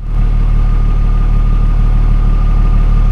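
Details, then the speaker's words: 2003 BMW E39 5 Series, no head gasket fault found, idling after misfire repair including a new gasket: fuel trims back to normal, smooth even idle with no stumble, tick or hiss. "well the field trims are back to normal and the misfire is gone here's the before and this is how the car sounds now"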